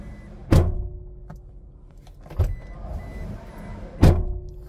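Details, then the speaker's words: Door closing on a used 2012 Toyota Hilux diesel pickup in post-purchase inspection: three heavy slams, each a dull thud with short ringing tail, closing oddly compared with the other side; mechanic suspects prior collision damage and wouldn't buy it. "geralmente situações como essa com esse barulho estranho no fechamento da porta significa que a caminhonete tem problem talvez de batida"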